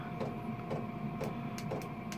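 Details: Diesel heater fixed in an allotment shed, warmed up and cranked to high power, battery around 11.7 V: steady fan hum with crisp regular dosing-pump tick about twice a second; heater running normally at high power.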